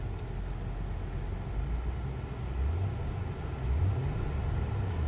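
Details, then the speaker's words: 2013 Acura TL, 194,000 miles, sold at salvage auction as a suspected flood car with a check-emission-system warning. Low, steady engine rumble with an even idle and no knocks or ticks; sounds really good. "It sounds really, really good."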